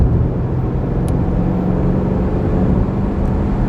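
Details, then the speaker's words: Mercedes-Benz GLS 580 (new generation) after repair, cruising on the highway at about 3,000 rpm: steady low droning boom and vibration with exhaust hum, worse in the rear seat and in sport suspension; wheel imbalance suspected. "とても重い車はこうやって震える症状があります揺れるだけならいいんだけど低音でこんなに酔う音がします"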